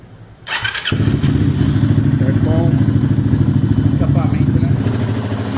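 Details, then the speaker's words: Yamaha XTZ 250X (Lander X) single, after engine teardown and reassembly for a loud head noise after stalling: fires first try, steady even idle with no knocking or ticking from the head; normal idle. "vamos falar que foi a primeira vez a ansiedade não deixa a gente gravar a primeira partida mesmo já liguei e ficou muito bom"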